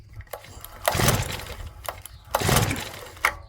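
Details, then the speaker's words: Stihl FS65-4 four-stroke petrol strimmer, customer badly overfilled oil; on choke, two pull attempts give a brief sputter that dies and never catches; carb and air filter found full of oil. "Right, so there's just no joy there really. It was wanting to start a minute ago."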